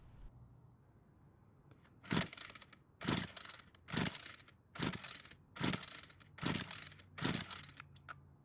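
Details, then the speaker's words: Homelite string trimmer that won't start, with spark confirmed and compression at 150 psi: seven rope pulls about a second apart, each a short whirring rasp, with no firing. The engine is flooded with too much fuel. "that can only mean one thing the engine isn't starting because it's flooded with way too much fuel"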